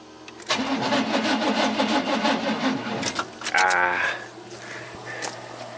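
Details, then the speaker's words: 1988 Chevy truck 5.0 V8, 104,000 miles, died on the road: slow, uneven cranking for about two and a half seconds that never catches; battery suspected dead, and it cranks better with a jump pack. "Moment of Truth actually this battery might be dead but let's try it"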